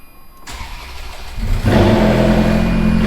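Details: Ferrari F430 start-up: it cranks briefly, fires and settles into a strong, even high idle. There is no tick or rasp, so no header exhaust leak is heard.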